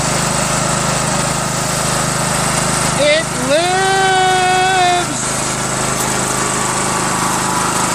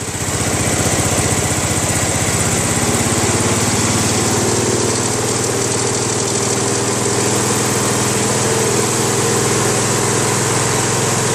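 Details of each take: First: Craftsman LT1000 with a 21HP Briggs opposed twin, fuel pump replaced with one that has a spring; it runs with noises inside, then the governor revs it up: over-revving. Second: Craftsman LT1000 lawn tractor, 21 HP Briggs opposed twin, after governor adjustment at lowest throttle: even, steady low putter with no surging or hunting; smooth stable normal idle.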